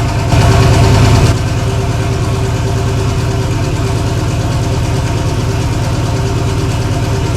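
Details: Engine with spun rod bearing despite good oil temps and pressures, high air temps leading to detonation: deep, heavy knock about three per second over idle; rod knock.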